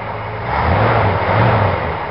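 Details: 1965 Ford Galaxie V8 after a quick cleaning of its 2-barrel carburetor, idle possibly needing adjustment; a deep, even rumble swells then settles into a steady idle with no misses or knocks, idling normally.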